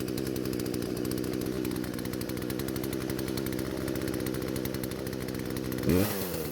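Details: Poulan chainsaw after many small carburetor adjustments (L screw about a half turn counterclockwise, idle screw adjusted): strong, even two-stroke roar holding steady with no stumbling or surging; normal running.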